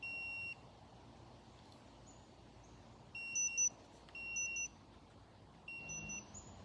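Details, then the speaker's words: Laser level outdoors, tested with a Dovoh DR1 receiver, sounding repeated bursts of high, short electronic beeps as an out-of-level warning while it is being leveled. "let me turn this see if it's still Level no I don't like that I'm trying to get it leveled keeps hollering at me"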